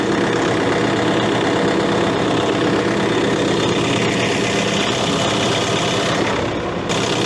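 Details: Case CX80 excavator diesel, throttle set to idle: a deep, steady idle with an even beat and no hunting, knocking or surging; sounds healthy.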